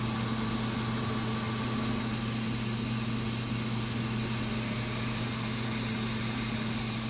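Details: DFI LANPARTY UT nF4 SLI-DR Expert socket 939 motherboard: constant high hiss over a low electrical hum, steady throughout; source on the board unknown.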